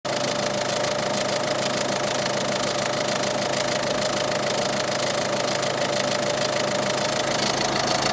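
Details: 2013 Peugeot 308 eHDI diesel, 112,000 km, idling with a steady rapid knock about three per second over the engine note; owner suspects tired engine mounts, torque link jerks on engine braking and downshifts; cause unconfirmed.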